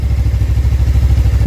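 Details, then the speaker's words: Suzuki GSX250R fuel-injected bike after fuel repair, running on low fuel that previously caused stalling past mid-tank. Even, quick low thumping at steady idle, no misses or stumbles; both fuel injectors sound fine. Normal idle. "sounds really healthy both fuel injectors sound like they're working just fine"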